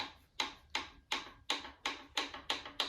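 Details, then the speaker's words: Toyota 22R engine (later style) torn down for a reported rod knock in cylinder 1; the cylinder 1 rod is rocked by hand: sharp metallic clacks about three a second, showing excessive rod bearing back-and-forth play; other cylinders have only small play. "that is back and forth play right there. Again, I'm not a professional. I don't know what it's supposed to be, but I don't think it's supposed to be like this."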